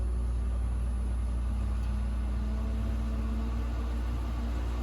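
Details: Whirlpool French door fridge after fix: steady, quiet low hum with soft fan tone from the freezer evaporator fan running normally; the earlier noise on opening or closing doors came from ice buildup on that fan.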